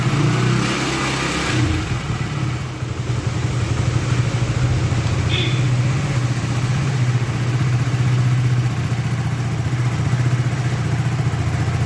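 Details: Hero HF Deluxe BS6 single-cylinder bike with a starting problem, just started after the fuel pipe was refitted and fuel pressure restored: small single catches, then settles into a low, steady idle hum with no misfires or stalling; normal idle.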